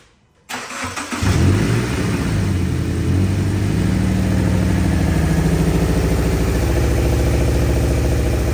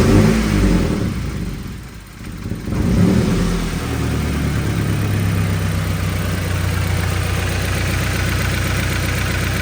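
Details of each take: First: 2013 Subaru Impreza 2.0 non-turbo with a misfire complaint: engine catches, then settles into a lumpy, uneven, shaking idle with a stumbling beat; a cylinder is not firing properly. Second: 2013 Subaru Impreza 2.0 non-turbo after misfire diagnosis found spark tracking to ground from spark plug marks, codes cleared: steady, even engine note with smooth low rumble, no skips or stumbles; running cleanly.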